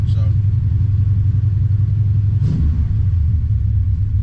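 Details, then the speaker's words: C3 Corvette V8 at stationary idle, the day after fitting Doug's Headers D950 glass-pack side-pipe muffler inserts in place of reverse-flow inserts. Deep, even burble with a steady loping pulse and no knocks or ticks: a normal, healthy idle. "I just wanted to see what it sounded like at idle."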